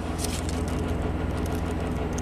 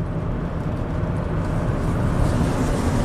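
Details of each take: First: 2009 Chevy Traverse V6 GDI, 190,000 miles, misfire and timing codes, revved on test drive: fast uneven metallic rattle, Bank 1 cam command stuck high with large VVT variance. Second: 2009 Chevy Traverse V6 GDI, 190,000 miles, previously with misfires on all cylinders and VVT codes, after a fresh oil change. On the test drive, a smooth, even engine and road drone with no clatter or chattering. Cam variance stays below two degrees, so it runs healthy.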